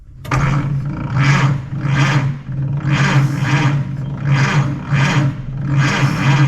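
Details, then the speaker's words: 1928 Ford Model A sedan, stock four-cylinder with a custom intake/exhaust manifold and a new electric under-floor fuel pump, starter tested with ignition off: steady starter whir with even compression pulses just under once a second; normal starter cranking. "She cranks."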